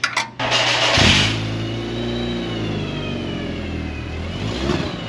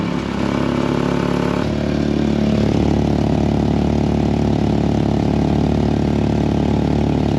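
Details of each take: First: VW Mk4 2.0 wagon after fitting a Techtonics Tuning exhaust kit to fix a loud exhaust leak. The engine starts and settles into a steady idle with a smooth, even note, slightly louder, with no leak puffing or drone. Normal exhaust. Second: Mk4 2.0 wagon, jacked up and started to find a worsening leak. Engine idles with a loud, raw puffing rasp in time with the firing; the stock resonator is leaking, not the U-clamp at the new downpipe.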